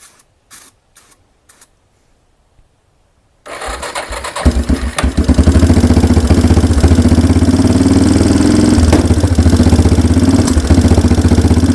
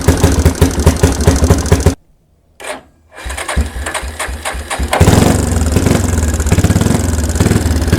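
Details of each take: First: 1992 Yamaha Big Bear ATV after sitting a decade, cold, choke pulled, on starting fluid: after a few clicks it fires into a lumpy, uneven run. Spark and compression are fine; the carburettor is gummed and needs a rebuild. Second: 1992 Yamaha Big Bear ATV, sat about a decade, choke out, old oil left in: after a brief stumble it catches and settles into a steady, even single-cylinder putter at idle; the replaced fuel mixture screw needed slight adjustment.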